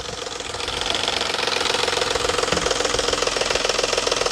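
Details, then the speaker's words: Petrol engine at cold idle with microphone close to the engine; fast regular tapping knock, three to four a second, that suddenly stops, suspected cam phaser spring mechanism, not valve train; cam phaser knock at cold idle. "ladies and gentlemen that is not a Val train ticket noise yes it sound like it's right here look see how it just stopped all of a sudden it just stopped because the cam phaser the spring mechanism inside the phaser likely caught up with itself"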